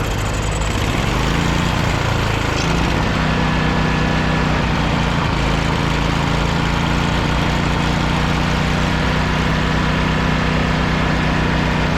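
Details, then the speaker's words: Mower that had sat, jump-started with starting fluid and fresh gas: catches after a rough couple of seconds, then settles into a steady, even low idle with no knocks or misses; runs healthy. "Was able to jump it, put some juice to it, a little bit of starting fluid, and start it up."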